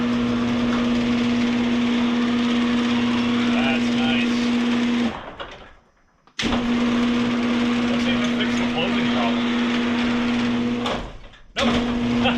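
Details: Genie garage door opener after repair of grinding trolley gear, greased, in cold weather; steady motor hum with an even low whine through each run, stopping cleanly. Opener sounds healthy; a separate spring-tension issue remains.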